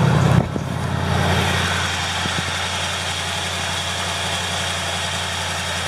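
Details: 1979 Chevrolet K20 Custom Deluxe square-body truck, after the alternator pulley squeal cleared up: quiet even idle with a soft steady burble, no squeal left from the belt area. Normal idle.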